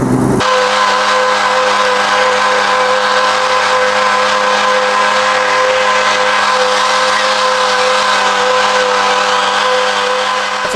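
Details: Tractor mower deck after spindle bearing replacement, a TIG-welded broken pulley and housings made greasable: even steady whirr with no knocking or grinding; normal mower deck running.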